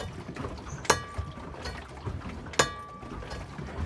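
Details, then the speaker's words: 2003 Chevy Suburban with a snapped driveshaft u-joint, driven two weeks with vibration, rocked forward and back: two sharp metallic pings about 1.7 s apart over shuffling noise. Broken u-joint flexing. "you can hear it kind of pinion as it's moving back and forth just pinging and popping there making some weird noises"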